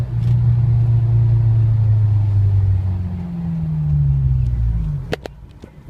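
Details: Honda S2000 noise only while engine braking around 2,000–4,000 rpm: deep droning rumble that sags and swells as revs fall off throttle; noise under engine braking, cause unclear.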